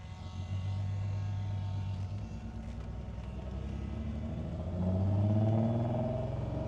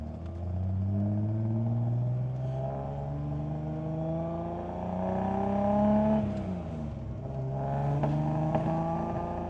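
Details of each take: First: 1973 Datsun 240Z, 35,635 miles, off the road over 2 years, brake caliper and line just fixed, warmed up then choke off, pulling away in first gear; steady low exhaust burble climbing smoothly, no knocks or misses; sounds good, shifts fine. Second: 1973 Datsun 240Z on first drive after 2 years off road, old fuel, tank near empty, possibly running rich or lean (unsure): engine drones through the gears with a few sharp pops and bangs between shifts, otherwise running all right.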